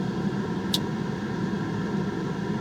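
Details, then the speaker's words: Citroën CX GTi heater blower at maximum speed with demist off: a steady, dull fan rush with a faint low hum, muffled and laboured, and weak airflow. It sounds strained. Perished gaskets leaking air are suspected, not confirmed. "I think when listening to it that it feels strained"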